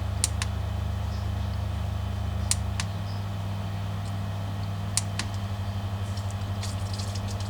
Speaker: And there we go, that's full power.